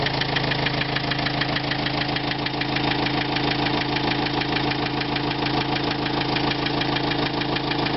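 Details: 2005 Renault Trafic 1.9 dCi diesel at idle: steady, rapid rhythmic engine knock of about three per second riding over the engine note. Cause not determined.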